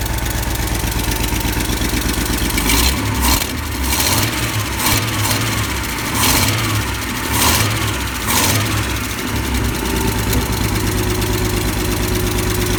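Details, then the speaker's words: Ford F-series highboy truck with a freshly fitted V8 and gearbox, replacing the old engine that threw rings and leaked oil: quick start to check an earlier noise is gone; fires into a fairly steady idle with throttle blips and workshop clatter; carb not yet tuned. "just turn the engine quickly for me again i want to hear that noise is gone"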